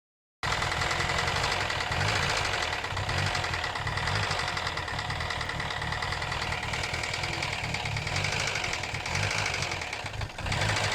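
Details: 2012 Hyundai Elantra, owner also reports stalling: busy idle with a steady rapid knocking under the clatter; engine knock, source not pinned down.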